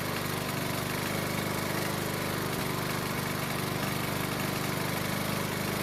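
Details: Honda mower that wouldn't start in spring after proper winter storage, with fresh gas, now repaired: steady, even single-cylinder putter at constant speed with no misses or surging; running smoothly.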